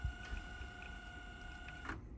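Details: Second Teac cassette deck, just reassembled after idler tire replacement: smooth steady high motor whine with no dragging, squeal or speed wobble on fast forward; winding normally.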